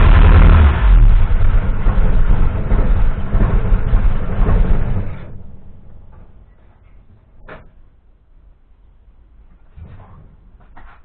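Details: Mk1 Cortina restoration, first run of the newly fitted engine with no coolant system, fabricated fuel line and pressure regulator: revs raggedly for about five seconds with an uneven stutter, then cuts; owner blames unset ignition timing and slightly-off fueling.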